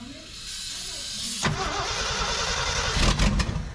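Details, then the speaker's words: 1968 Ford F-250 390 V8, sat in a field nearly 10 years: starter cranks at about four beats a second but never catches; no fuel in the pump yet, so no start. "Nothing in it yet. It ain't got no gas in it."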